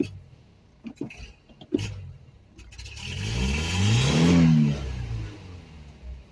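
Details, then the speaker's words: 1984 Toyota Tercel SR5 4WD, sitting since 2018–2019 in desert sun, first start: some clatter then one slow, uneven rev with a ragged note; carburettor running rough, needs cleaning. "kind of not happy not real happy but we'll get it all cleaned up"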